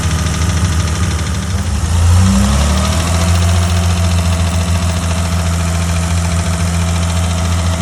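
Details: BMW E30 with M20 petrol six revving briefly: light metallic knock on the engine note, rising in frequency and loudness with revs and throttle, sometimes intermittent, like a bolt rattled in a metal tube; early spun rod bearing.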